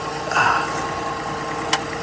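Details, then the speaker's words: 2002 Acura MDX at first start-up after replacing the flex pipe and catalytic converter: even, steady idle with a smooth exhaust note and no puffing or ticking; no exhaust leaks, only spilled oil burning off. "so let's see if it's leaking any more it's right here flex pipe good things are burning up because of the oil I don't feel any leaks no leaks"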